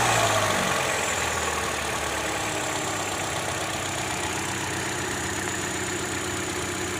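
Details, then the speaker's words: 2012 Hyundai Elantra, 72k miles, restarted after cold start; petrol engine settling to idle with uneven, shaky pulse about four beats a second; owner reports grinding/knocking on cold startups, starter checked fine; rough idle, cause unknown. "it's shaking pretty bad. I don't know what's going on."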